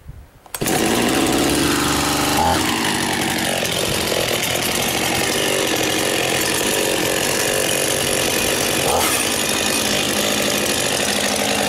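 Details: Husqvarna 51 two-stroke chainsaw, first start of the year after most parts and casing were replaced last year: pull start catches at once, then a sharp steady buzz holding revs without bogging; healthy running.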